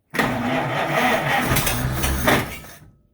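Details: 1930 Chevy, sitting since 1954, on a restart attempt: the old engine catches, runs roughly and unevenly for about two seconds, then fades out and dies, apparently short of fuel (suspected to want gas); stumbling and stalling.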